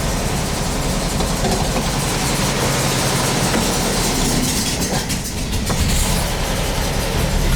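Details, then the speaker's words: VW bus air-cooled engine after transaxle work, cold start, in gear against emergency brake: steady even idle under load with no clunk or grinding; transaxle now holds gear where it would previously have popped out. "Yeah, that would have popped out before."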